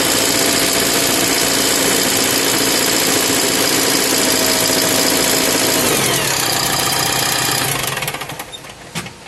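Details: BS4 engine with abnormal sound at idle. Steady fast clatter at about four knocks a second through the idle, then it dies away at shutdown; abnormal knock, cause unknown.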